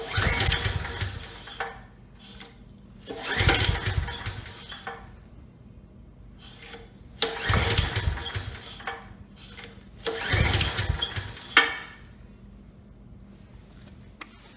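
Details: Briggs and Stratton Storm Responder generator before repair, ignition, choke and fuel on: four recoil pulls spin it briefly without catching; untreated gas clogged the carburetor main jet and rusted the tank.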